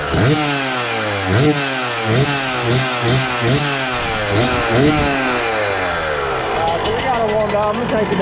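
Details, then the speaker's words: 2000 Suzuki RM125 two-stroke after warm-up, before rejetting: blipping revs with a burbly, blubbery edge that won't clean up; running a little rich, owner thinks it's jetted for a silencer and plans smaller jets or a new silencer. "all right let's see what she does she sounds like she's running a little Rich still so I'll probably down those Jets a little bit"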